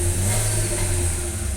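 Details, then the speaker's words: Chevrolet Onix/Prisma automatic at 75,000 km, now filled with pure ethanol while the module still reads 20% alcohol: the engine note rises smoothly with no pinging. It accelerates normally; knocking and poor running occur only on gasoline, which is blamed on module fuel calibration. "Ó, acelerando normal, ó."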